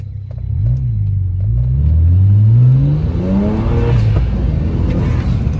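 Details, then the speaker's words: BMW E90 with the N54 twin-turbo engine, running an MHD tune, after the front and rear turbo vacuum lines were replaced and a seized wastegate actuator was found: revs smoothly up and down with a clean, even note, no stumble or hiss; healthy engine revving. "Yeah, that's that's very healthy, bro. No, no, that's actually very healthy, bro. Yeah, that's how it's supposed to sound like, bro."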